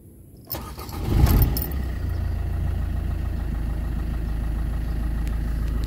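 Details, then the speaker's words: Used Suzuki Ertiga Diesel Hybrid, cold start: brief crank, quick catch, then steady even low diesel idle with no misses or knocks; starts quickly, engine in good shape. "kira-kira seperti itu mesin tidak terlalu lama menyala jadi ini saya bilang wanita cukup Prima ya"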